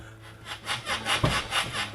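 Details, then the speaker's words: Toyota Celica GT-S with Raceland coilovers set too low: rhythmic scraping rubs about twice a second plus a heavy thud as the car bounces, the coilover hitting the frame and clunking loudly, leaving the car super bouncy. "so it's hitting the frame of the Celica and it's making loud clunking noise"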